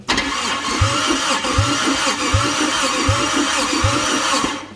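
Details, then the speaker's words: Toyota Celica 2ZZ engine, compression test while cranking: uneven starter beat with one heavier thump about every 0.75 s. Cylinder 4 read only about 95; engine judged pretty hurt. "Yeah, this engine's pretty hurt. That's only like 95."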